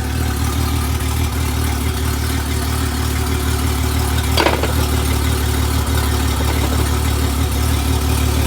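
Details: Honda 250 HP outboard on 21 ft boat, after fixing missing ground connection with jumper cable: steady, even low rumble idling in gear, no stumbling, surging or knocking; running properly.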